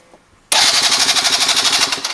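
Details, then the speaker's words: Venice 50cc scooter with ignition bypassed and jury-rigged, starting fluid sprayed in, spark plug attached: fast buzzing electric-starter cranking, about twelve pulses a second, never fires; starter sounds good, owner unsure everything is connected or whether there is spark; cranks but no start. "I mean, it really sounds like it wants to start over, but um here's I don't know if it's all connected everywhere."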